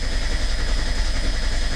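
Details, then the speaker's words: Merkur XR4Ti after starter replacement, TFI module unplugged, battery sat a month and a half, 50 psi oil pressure while cranking: strong, even cranking with a steady low beat and no grinding or clicking; starter turns engine cleanly. "not bad 50 psi cranking over with a battery that's uh been sitting for about a month and a half"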